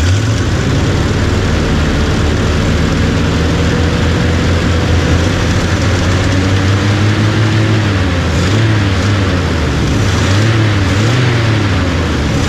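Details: 1975 Chevy 4x4 plow truck, restarted: loud raw open-pipe rumble at steady idle with sharp barks, no muffling; no exhaust system, fumes dumping under the holed cab; smokes, owner suspects no rings.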